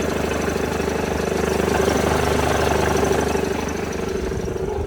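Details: Mercedes-Benz W211 E200 Kompressor idling with a steady, regular knock of roughly three per second standing out over the running noise; engine knocking at idle.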